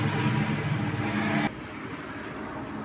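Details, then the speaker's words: LG front-load washing machine after display-fault repair, tested with all functions working. The second water inlet valve opens, so both inlets are running: steady hiss of water rushing in over a low hum, then a quieter settled flow. Normal filling. "Second inlet start ஆகும். Sound கேட்குன்னு நினைக்கிறோம். Sound கேட்குதுங்களா? So 2 இன்லெட்டுமே start ஆகிடுச்சு."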